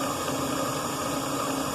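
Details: Delta Milwaukee DP220 drill press on the slow-speed pulley, motor just remounted after transport, belt possibly needing tightening or dressing: steady, even motor hum with smooth belt whir, no knocks or grinding. Running normally at low speed.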